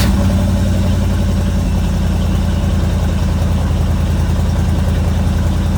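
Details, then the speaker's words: 1972 Chevrolet Chevelle 350 small-block V8 after misfire diagnosis, first start after fixes: deep, even idle with steady low throb, no miss or stumble; normal idle. "Hey, that sounds pretty good."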